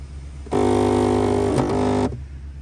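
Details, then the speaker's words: 2004 Audi A8L D3 sunroof, on open or close: harsh buzzing motor whirr of about 1.5 s with a brief catch midway. The wind deflector motor has gear teeth meshing wrong and grinding. "So there's this deflector shield up here that moves up and down when the car gets above 5 miles an hour, and then I believe it lowers again after like 40 miles an hou"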